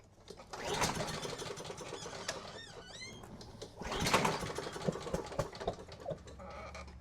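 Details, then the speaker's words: Craftsman mower Honda engine, no start: spark confirmed, carb cleaner sprayed into intake; two recoil pulls give quick, light, even chuffing that never catches. Compression test later shows zero compression. "Well, we got spark and fire. I wonder why it's not popping off for me."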